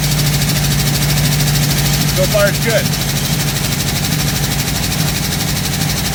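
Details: 1958 Chevrolet Biscayne V8, before carburetor rebuild, burning heavy fuel: lumpy, uneven idle with an irregular stumble; owner suspects it running on four cylinders.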